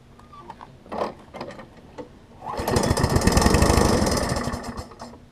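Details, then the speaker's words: Craftsman 21-inch self-propelled mower, first start after fitting fuel line and temporary air filter: after clatter, engine catches and runs roughly a few seconds then dies; owner suspects carburetor float setting, not confirmed. "So I've got a little bit more work to do, but at least it will start on its own. It might be just a matter of resetting the float on it."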